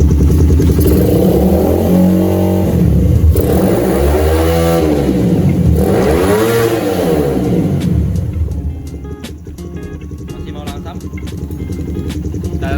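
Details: Motorcycle with a newly fitted and adjusted PWK carburetor. Revs rise and fall smoothly with clean pickup and a steady return to idle, no stumble or popping. Normal revving; carburetor now running right.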